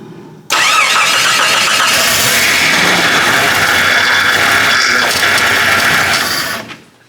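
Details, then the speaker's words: 1987–1995 Jeep after power steering pump replacement, first crank run about 5 seconds: faint high whine over the engine from air in the system, fluid sudsy with bubbles; pump condition uncertain. "Did you hear that little whine? Let's see what it looks like. Yep. If you can see, the fluid's all sudsy down in there."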